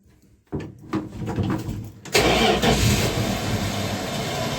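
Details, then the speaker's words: Hard starting on a 1976 Dodge D100 slant six after new exhaust work, shifter in neutral: slow, uneven cranking for a few seconds, then it sputters and catches roughly; carburetor had gone dry, later seen pouring fuel. "start almost come on [Music] baby carburetor is gone [Music] dry"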